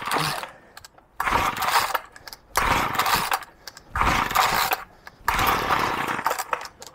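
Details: Old two-stroke pull-cord petrol strimmer (Flymo Maxi Trim) with a troublesome choke, fuelled and unchoked: repeated pulls about every 1.5 seconds, each a brief raspy sputter that dies; hard starting.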